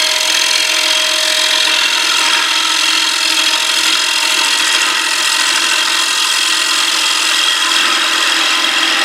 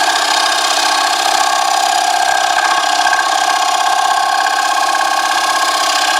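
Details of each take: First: Wood lathe at about 361 rpm turning a box elder flat platter blank about nine inches across, after the turner stopped the chatter: even steady cutting hiss with no chatter or knocking; normal clean lathe cutting. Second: Wood lathe turning a box elder platter blank at about 361 rpm: harsh, buzzing scrape with a fluttering pulse and no low rumble as the cutting tool chatters against the spinning blank. Tool chatter while cutting.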